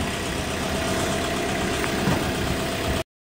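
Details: 2012 Toyota Fortuner diesel, odometer reading 41, fixed after crank-no-start stalling: smooth, even idle with a steady low clatter and no misses; running normally after repair.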